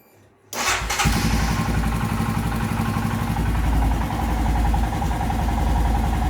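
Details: Royal Enfield Himalayan after DIY throttle body/injector cleaning and reassembly: single cylinder catches immediately, settles to steady even idle thump, revved about 1300–2100 rpm afterward; healthy start and idle.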